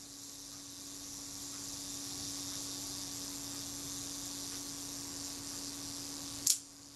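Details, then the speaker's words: Camera shutter after cleaning retard gear train and self-timer: thin steady buzzing whir about six seconds, then one sharp shutter click; self-timer still sluggish, not running correctly. "the shutter released let's try that again release the shutter whole deck the self-timer sluggish enough sound sluggish in the shuddered at fire so it's by no means running correctly"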